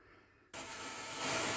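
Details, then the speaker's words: Vintage Sansui R-7 receiver after repair, FM band with stereo switched off: clean, even hiss comes in suddenly and holds steady between stations with no crackle or dropouts; normal FM inter-station hiss, tuner and stereo circuits working. "We're on stereo, and which actually quietens the band until it finds a loud station. So if we take the stereo off, we can hear the FM hiss."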